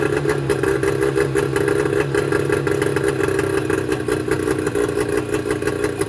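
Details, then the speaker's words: Mercury 25 HP two-stroke outboard idling rough and coughing, beat stumbling; cause small damaged reed valves, replaced with Boyesen Power Reeds. "they're small and that caused the rudder the motor running rough and make it cough too"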